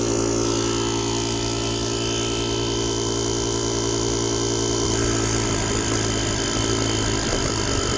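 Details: JomGand JQP2250 jump starter's built-in air compressor inflating a completely flat tire: a steady buzzing pump drone whose tone deepens slightly as pressure builds, running normally.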